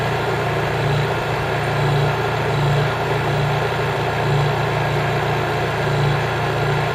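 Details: New Honda EU3000is generator (GX200 engine) in eco mode with no load after running a buffer: steady, even, very quiet hum, no surging, knocking or misses; normal running.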